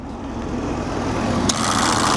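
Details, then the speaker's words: 1983 Mercury Cougar 5.0 V8, long-sitting, idling: a click at about 1.5 seconds then a louder, busier hum as the AC is switched on; AC compressor engaging and trying to work. "Let's turn on the air conditioning. The blower works. Power steering works. Is that the compressor working?"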